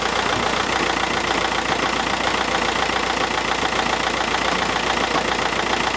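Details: 2009 Audi A3 1.9 TDI Sportback, BLS engine, KBL gearbox, about 160,000–167,000 miles, idling in neutral with clutch released, recorded outside the car: loose rattle about 3–4 knocks a second from underneath; worn dual mass flywheel, replaced with clutch, rattle gone.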